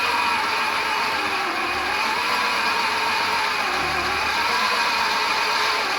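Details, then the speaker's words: 1972 Fiat 850 Sport Spider sitting 22 years, first crank attempt: steady fast whirring crank, light even rhythm, never fires; no spark found, possibly flooded, smells of coal oil. "Sound like a Singer sewing machine there. Smells a little bit like coal oil, but I don't see it coming out of the cylinders."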